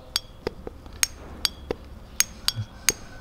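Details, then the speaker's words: BMW S54B32 VANOS rebuild, solenoid valve on the bench after magnet cleaning and spraying, engine not running: crisp metallic clicks about two a second; snapping cleanly, clearly audible now where previously inaudible; normal. "clearly pronounced now previously you were not able to hear it"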